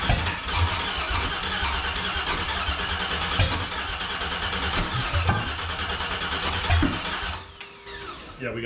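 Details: Factory Five 35 hot rod truck, first start attempt with fuel pressure present: starter churns the engine in uneven bursts with no firing. Cranks but won't start; fouled spark plugs are suspected and the plugs are to be swapped.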